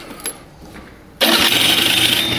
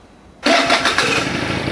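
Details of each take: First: Pegasus Sky 50 scooter with light accident damage, earlier making a bad starter noise: electric starter catches quickly and settles into an even, busy idle with no odd knocks or rattles; normal electric start, noise not reproduced. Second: Pegasus Sky 50 scooter after a light accident damage: harsh, raspy clatter the instant the starter cranks, continuing as the engine catches; starter problem suspected.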